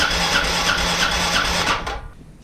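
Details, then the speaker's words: Arctic Cat 400 ATV after rebuild, cranked with kill switch off to circulate fresh oil; quick even starter chugs with steady compression pulses; turns over well, good compression. "she's turned over good sounds like she's got good compression"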